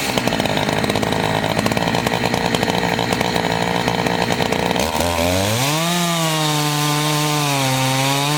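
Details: Chainsaw of roughly 50–60cc (owner unsure, maybe 58), on its second tank and barely broken in, cutting old wood: a strong, steady snarl while cutting, then a clean rising rev as it clears the log, normal under load.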